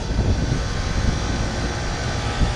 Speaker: everything sounds good